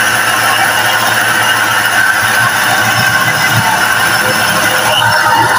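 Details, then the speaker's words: Kijang modified with an electric cooling fan on a Toyota sensor, engine warming up: a steady rush of fan air over a smooth idle, fan cycling on and off like an Avanza: normal idle with electric fan running. "Nah itu sudah mati jadi dia hidupnya sebentar-sebentar e menyerupai mobil Avanza karena ini sensornya menggunakan mobil Toyota juga"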